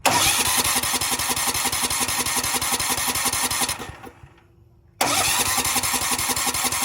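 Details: Cheap Valsi generator's small engine, run on carb spray with the choke on: it fires and runs unevenly, dies to silence, then picks up again, so fuel isn't reaching it; carb cleaning and flushing the lines and tank are planned.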